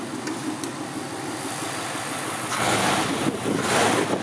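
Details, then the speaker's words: 1953 Ford two-door sedan, flathead V8: loping idle swelling into a louder, raspy rev with extra exhaust roar from the rear, caused by a somewhat perforated muffler visible at the outlet; exhaust leak. "Un peu plus de bruit qui émane de l'arrière. J'ai remarqué que le pot d'échappement était quelque peu perforé."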